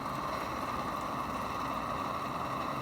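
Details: Roughly 60-year-old army mountain stove (owned since 1972), heating a cup of water: steady, even hissing roar with no sputter or surging; normal clean burner roar.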